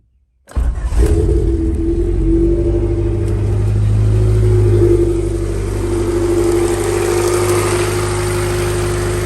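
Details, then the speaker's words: Honda D-series in EF Civic/CRX, MPFI swap with Skunk2 intake manifold, 70mm throttle body and new cold air intake: cold start catches cleanly, flares briefly, settles into smooth even idle, no knocks or ticks; "everything's solid." "Sounds good, everything's solid."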